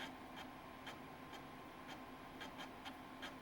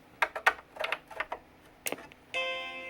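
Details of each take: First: Macintosh IIcx (recapped logic board) floppy drive reading a disk on power-up after the startup chime: quiet, irregular, rough clicks and chatter as the head seeks; stepper motor sounds shot, though the machine still boots from the disk. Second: Macintosh IIcx with a recapped logic board, powered on after reassembly: a few handling clicks, then one clean, steady startup chime as the machine boots normally.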